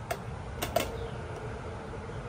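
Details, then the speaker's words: Dead GE Hotpoint dryer: three crisp clicks close together as the timer knob turns; the knob had not been moving the timer off the off position, now it engages the timer properly. "always check the knobs hear that it's actually turning the timer now"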